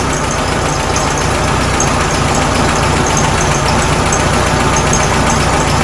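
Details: 1967 VW Karmann Ghia, first idle after sitting since 1975: uneven, loose idle chuffing at about 220 beats a minute over a hissy background; owner says timing needs adjusting, likely points, belt, fuel pump issues, leak present.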